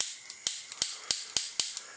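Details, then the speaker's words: Bernzomatic butane soldering iron, old worn igniter: sharp dry snaps three to four a second with fainter ticks, no flame catching; igniter clicking without lighting, cause not confirmed. "the igniters pretty old turn the pressure down"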